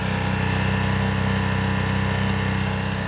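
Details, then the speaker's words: Baja 900 W propane generator (same as the Ryobi unit), about 25 °F outside, no load; meter at 3 ft reads 75–77 dB. Steady, even low drone with a smooth beat of about four pulses a second, no knocks or surging; normal running. "So right here, 3 feet away, it's 75, 77 dB."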